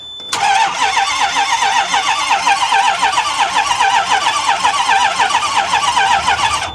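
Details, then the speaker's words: Long-idle diesel bus, sitting 5 months, with low oil pressure for the fuel injection: starter cranks over at an even, healthy pace for several seconds but never catches; long crank, no start, batteries running down. "let's try it again real quick I mean I was hoping it was just going to pop spray it off you know"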